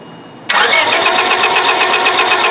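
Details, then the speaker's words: 1999 Honda Civic cranking at a steady whirr but never firing: crank-no-start with no spark. A test light on the coil negative shows barely any flicker while cranking, confirming a faulty ignition coil; the fix is replacing the coil. "Yep this is a bad ignition coil"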